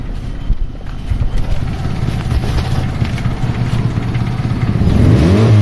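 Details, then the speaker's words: 2012 Hyundai i10, a mechanic had advised replacing the silencer: loud, rapid low puffing that chuffs faster as revs rise, exhaust escaping at a silencer joint loosened by a broken bolt; fixed by welding and a new bolt instead. "तो मुझे लग रहा है इसका जो silencer है या तो साइलेंसर के जॉइंट टूट गया है वहां"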